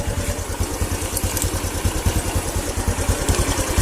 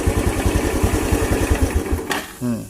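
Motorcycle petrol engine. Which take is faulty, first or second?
second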